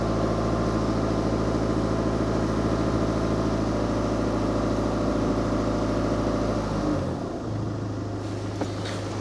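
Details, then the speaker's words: VW Scirocco diesel, warm, just after fuel filter replacement and six-cycle ignition priming. Steady, even clatter settles smoothly to a lower idle after a rev; runs clean with no misfire or stumble. "My engine was warm already, so it's good. Didn't mind accelerating straight away."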